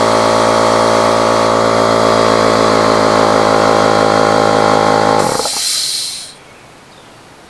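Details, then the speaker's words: Husky air compressor model H1301F after repair, regulator readjusted, hose not leaking; steady, even motor-and-pump drone at constant pitch for five seconds, then shutoff and a brief hiss; running properly. "all right we have a working air compressor hose ain't leakin hose fittings worked"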